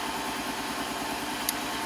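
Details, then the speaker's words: 2009 Ford Escape 2.5L four-cylinder, warm idle: uneven loping pulse, cylinder 3 not contributing (firing order 1-3-4-2), irregular cranking and relative compression test point to low compression; single-cylinder misfire beyond a typical coil pack fault. "yeah I think we'll quickly see that a number three is our low contributing cylinder so here cylinder 1 3 4 and 2 in a fire order in cylinder 3 is not contributing"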